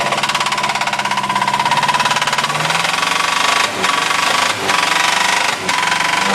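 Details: Mazda B2000 running engine: loud, hard, rapid metallic knocking hammering with every revolution; severe connecting rod knock, rod not yet thrown through the block.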